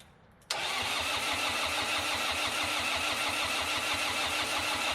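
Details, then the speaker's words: Red-D-Arc D300K welder generator, Kubota V1902 four-cylinder diesel, restored, fuel gravity-fed to filter and pump for priming: even starter cranking about three beats a second, never catching; fuel not yet primed. "I'm using this because I can gravity feed that filter and then the pump and hopefully we don't need to add in the electric clicky clack to get everything primed"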